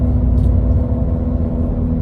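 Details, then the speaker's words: GM 1500 6-lug truck at about 37-50 mph before repair; deep steady drone over road rumble from a worn left wheel bearing, louder with speed. "this is only my left one that's bad but i'm gonna replace both of them"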